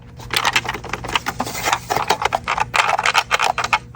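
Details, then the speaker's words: Extremely dusty Xbox Series S being shaken: irregular light clicking and tapping rattle from the broken HDMI port loose inside, with its pins broken. "Do you hear the rattling? That's the HDMI port."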